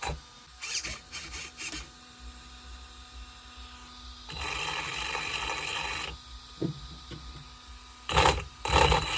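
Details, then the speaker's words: ARRMA Senton 2WD brushless motor on the bench after ESC reprogramming: short spin-ups, then a two-second run with a rough, gritty rasp over the whine; the motor runs hot and is replaced; brushless motor internal grinding. "That sounds just horrible, guys. Yeah, there's a serious grinding going on inside this motor."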